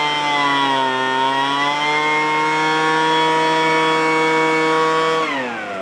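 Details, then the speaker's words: Free roadside small two-stroke after opening up a restricted exhaust port with a screwdriver: a crisp, steady high buzz at full revs that eases cleanly. It had previously spat fuel from the carb as if running on choke; now fixed. "oh that's nice huh that one's fixed that was a problem"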